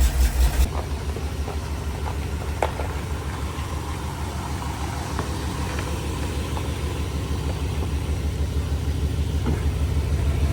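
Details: 1985 Jeep CJ7, 304 AMC V8 with HEI ignition, after fixing a poorly crimped 12-volt feed to the HEI: brief loud burst at start, then a steady, even low rumble with no knocks, a healthy idle.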